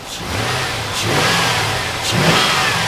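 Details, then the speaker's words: 2001 Chevrolet Silverado just restarted after a head gasket replacement, not yet warmed up and a little low on coolant, still smoking from coolant in the exhaust: revs pick up cleanly on each blip and drop back smoothly, no knock or miss, running perfectly. "look at that she's running perfect purrs like a kitten"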